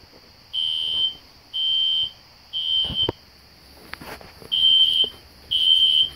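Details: System Sensor SpectrAlert Classic horn strobe set on low volume, heard in the background with no control panel: loud high-pitched electronic blasts about once a second with short gaps; fire alarm horn sounding normally.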